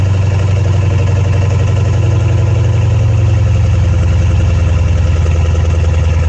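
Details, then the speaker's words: Dodge Challenger Hellcat supercharged V8 after spark plug replacement, one wheel off: deep steady idle, even low rumble with light supercharger whir, no misfire, healthy. "sounds like it's running pretty good you can't drive it because it's missing a wheel"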